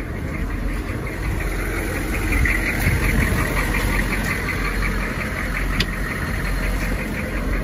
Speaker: does not sound like it wants to run it sounds like it hasn't ran in a long time